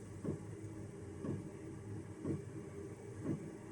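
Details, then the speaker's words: Chinese diesel heater running at about 1 Hz pump setting: fuel pump ticks softly about once a second over a low steady fan hum; no smell or burning, carbon monoxide alarm silent, warm air output, normal operation. "okay absolutely nothing in here whatsoever no uncomfortable smell no burnt smell nothing you can just hear the pump ticking"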